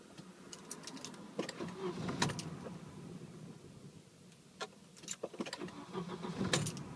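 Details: Volvo 760: short bursts of cranking separated by quiet gaps, engine never catches or runs; crank no start.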